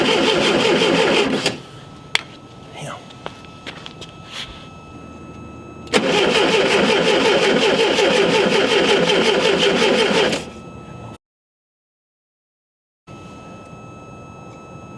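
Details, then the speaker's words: Unmolested VW Super Beetle, original distributor refitted, evening in the cold: steady starter cranking about three turns a second that never fires; no spark because the condenser wasn't hooked up. "We got no spark. Get over it. Even hook the... You gotta hook the... You gotta hook the condenser up."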